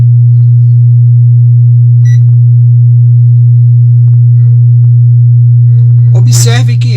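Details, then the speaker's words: Wordstar WBL 160 Plus active speaker, powered on the bench with a temperature sensor on each amplifier IC: loud steady low hum at one pitch; testing confirms only one output integrated circuit is shorted. "eu vou desligar o aparelho e podemos constatar que esse circuito é o único que está em curto"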